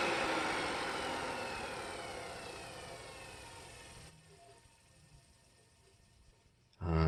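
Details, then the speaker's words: Ametek two-speed motor in a Compact TriStar C8 vacuum, rebuilt with a replaced bearing, fresh grease and a polished commutator: it whirs down in smoothly falling pitch with no rumble or grinding, a normal motor spin-down. "that's what I want to hear that is a wonderful smooth line down"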